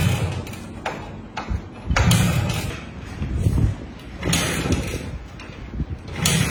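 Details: Honda Win100 motorcycle kick-started: several heavy kick strokes about two seconds apart with a brief churn each, but the engine never catches; fails to start.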